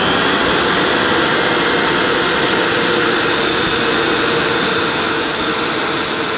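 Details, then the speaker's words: Hoover S2095 Quick Broom II mains-powered bagless stick vacuum, brand new, picking up mounds of dirt, owner expecting it may snowplow. Loud steady whir holds pitch while debris crackles through the nozzle: normal running under load. "But before I go, I can't leave these mounds of dirt, so I'm going to try and pick them up again using the cleaner. I have a feeling it might snowplow initially, but we'll see."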